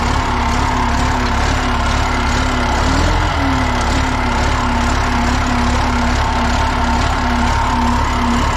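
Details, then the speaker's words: John Deere 890 excavator after the no-crank fault, started again: heavy diesel settles into a strong, steady idle with an even low rumble and no misses or knocks; key switch still suspected for the dash start problem. "there we go ah it's nice to see that uh she runs good and strong"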